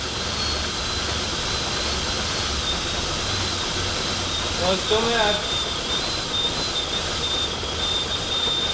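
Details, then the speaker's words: Nissan Pathfinder running with a steady high thin whistle over a loud hiss. It is suspected to be a vacuum leak, and revs rose when cleaner was sprayed under the intake manifold. The source has not been found. "you can hear like that hardcore whistling you guys know what that is i don't know"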